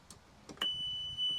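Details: 36-volt EZGO golf cart bought as a non-running trade-in, tow/run switch turned back on: a few clicks, then a shrill steady high beep, a short gap and a second beep. The reverse beeper is working.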